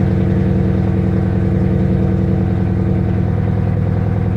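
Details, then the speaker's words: 2012 Mustang GT restarted after clearing oxygen-sensor codes, before O2 sensor replacement: steady idle with a slightly uneven, loping pulse that never settles; idle still rough. "So I'm going to clear it one more time, start it, see if that's idling, it's still bad."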